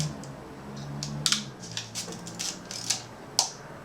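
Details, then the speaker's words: Yashica Electro 35 GSN with added manual shutter speed selector, set at half a second after stepping through 1/250 to 1/15: crisp paired clicks as leaf shutter opens and closes, gap lengthening at slower speeds; normal shutter operation. "again this is the shutter speed selector it's on half a second right now"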